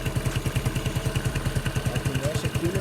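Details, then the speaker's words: Yamaha Neo 115 scooter after greasing the kick-start shaft that had been rubbing: even thumping idle with no rubbing or scraping, noise gone. Normal idle. "Então acho que era o eixo mesmo que tava encostando ali passei uma graxinha ali parou acabou o problema"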